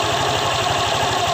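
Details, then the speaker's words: Honda Vario 125 LED eSP scooter idling after CVT disassembly and reassembly: even quick putter, no knocks, slaps or grinding from the belt side; normal idle. "Ini setelah gua pasang kembali, enggak ada suara apapun yang terdengar ya, seperti halus ya. Enggak ada apa-apa ya suaranya."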